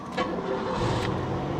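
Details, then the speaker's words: Cadillac DeVille with 77,000 miles, started after boosting from a booster pack: catches at once and settles into a steady even idle with no misses or knocks; normal engine start. "fired right up fired right up sounds good 77,000 Mi"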